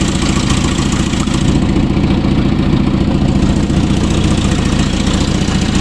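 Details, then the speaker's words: Toyota RA40 with 22RE, first early-morning start on a frosty day after running power from the starter solenoid to the unpowered cold-start-injector sensor: fires and settles into a steady, even low idle with no misses; good cold start. "that was pretty good for a stop this cold on the slate"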